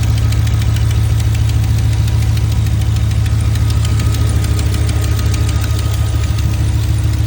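A light, fast tick of roughly three per second rides over a steady low idle rumble, possibly valvetrain ticking, cause unconfirmed.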